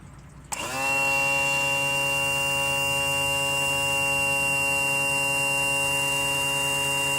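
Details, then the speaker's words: 2000 Johnson 115 outboard power trim/tilt. A steady, strained electric whine holds one pitch for six seconds: the trim motor squeal, the sound you don't want to hear. "No, that's not possible. I only did this just to demonstrate the the squeal that I was hearing."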